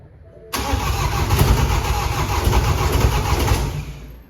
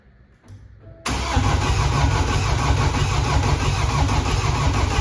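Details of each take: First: Previously flooded BMW F20 diesel, rebuilt after a crushed con rod and no compression, first start with fuel primed via injector ports, intercooler still wet and DPF not attached: catches right away, steady even clatter, running normally. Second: Flood-damaged BMW F20, no scan tool to prime the fuel system, so injector ports are opened in steps. Heavy steady cranking at about three turns a second for four seconds with no firing, fuel not primed. Crank, no start.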